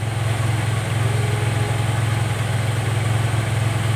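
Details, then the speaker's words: Honda Vario 110 (Vario Techno) carburetor scooter idling: steady low putter at a raised speed, idle rising and falling on its own and not settling to normal tickover; idle hunting, auto choke to be checked as a possible influence. "Oke, jadi motor ini dia kasusnya langsamnya tidak stabil, Guys. Naik sendiri, turun sendiri, besar sendiri gasnya, kecil sendiri, pokoknya enggak normal, ya."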